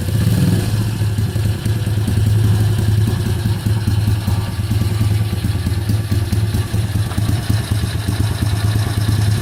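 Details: Kayo YX140E Klassic pit bike single-cylinder engine, throttle opened a bit more then held fixed: thump with revs wandering up and down and occasional stumbles; hunting rpm and misfiring, cause not yet found.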